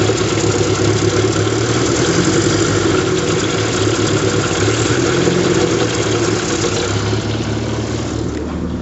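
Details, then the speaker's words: 1974 MG Midget, twin carburetors after an idle-mixture adjustment: steady but lumpy idle with an uneven, stumbling beat, spitting out of the float vent tube; rough idle, carburetor tuning not yet complete. "not sure if you could hear me but it's running but it's running very rough um it's actually spitting out of the the vent tube on the float"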